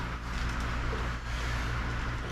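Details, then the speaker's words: A roughly 40-year-old, never-maintained welder runs with a steady low drone and rough hum. Its cooling fan is noisy and annoying and needs fixing. "I don't know if you guys can hear that welder. It's really annoying. I'm going to fix the fan on it."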